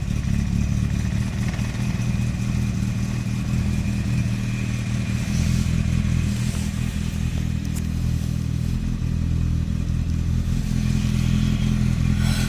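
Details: Nissan Primera P10 1.6 (about 1991), carburetted, cold start after an engine gasket rebuild. Loud, clattery, uneven running needing throttle to avoid stalling, with light blue smoke. A damaged carburettor valve stays shut, giving too little air; it's fine when warm.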